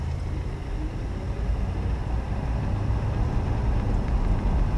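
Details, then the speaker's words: 1975 Chevy Nova, 110 horsepower, very basic car bought at auction, just started, idling: low, soft, even rumble holding steady with no ticks or knocks, described as very quiet. Normal idle. "so quiet guys crank windows 110 horsepower it it really sounds like a rocket taking off it's so it's so quiet except for a constant Shh when you take off"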